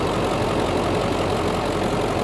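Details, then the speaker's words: 2003 Ford Excursion Limited, 7.3 Power Stroke diesel: steady, even diesel clatter at idle with a smooth low rumble and no misses or knocks; healthy diesel idling. "it's a 2003 and it's the last year of the 7.3 power stroke diesel i mean that's it's just a great motor"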